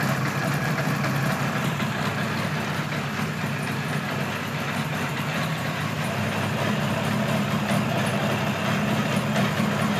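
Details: 1976 Kawasaki KZ900 A4 four-cylinder project bike on its first run after fueling the carbs, which was hard to start: a steady but ragged idle with an irregular, stumbling pulse instead of a clean even beat; rough running.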